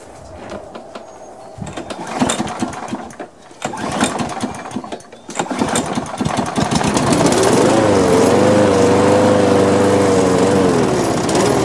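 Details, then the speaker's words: Lawn mower suspected of a bent crankshaft, started after priming: sputters unevenly and nearly dies, then catches and steadies once the throttle is moved; owner plans to check the carburetor bowl for dirt and notes heavy vibration. "i can see it tried to die there and i played with the throttle and it kicked in so i'm going to take a look at uh at the carburetor look at the bowl and see if there's anything needs to be cleaned on it"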